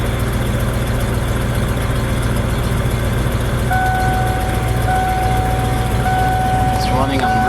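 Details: Ford F250 truck just reassembled after fuel pump testing and installing selector switch, first start: steady idle sitting a touch fast around 1000 rpm with cab chime; idling high, later brought to 800-825 by reinstalling old MAP sensor.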